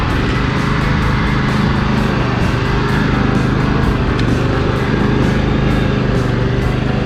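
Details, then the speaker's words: John Deere L120 mower, single-cylinder, after brake-clean through the carburetor, sitting for months over winter, coil wiring dry-rotted: steady constant-speed running with an even beat, no stumbling, less black smoke than before; sounds healthier. "well it sounds like it's running a little healthier it's not shooting as much black smoke when I kind of engaged the dry as it was before"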